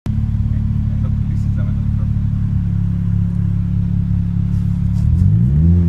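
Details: Nissan CA18DET engine: deep lumpy idle that pulses unevenly, then revs climb near the end while the chuffing stays ragged; engine misfire.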